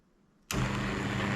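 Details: BTX classic 101 4045 shade motor just paired with a five-channel wireless wall switch and given open and close commands: it starts abruptly and runs with a smooth, even hum and steady low tone, no grinding or clicking. Normal operation.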